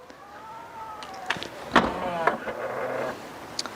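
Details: Tesla Model Y power liftgate closing after its open height was reset lower: short electric motor hum with clunks and latch noises as the gate powers shut; normal close.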